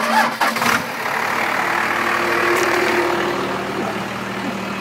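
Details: Dodge 12-valve Cummins diesel with the turbo hose off starts and settles into a rough, uneven clatter with an open intake hiss; a bad injector is causing smoke.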